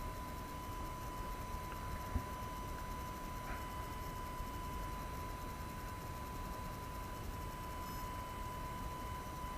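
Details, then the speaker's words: AFI VS-3SG 3-axis handheld gimbal, low-cost, recorded at night with no surrounding sounds: thin, steady whine around a thousand cycles that never lets up; gimbal motors make noise audible in recorded video. "okay so I think it's pretty apparent that uh this Gibble makes noise that you can actually hear in a recorded video"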